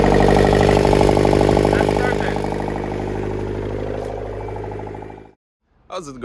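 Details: Nissan Mistral TD27 diesel after rebuilding its leaking Bosch VE injection pump, first start on jumped battery: settles into steady, even idle clatter with a regular beat, then shuts off; nothing irregular.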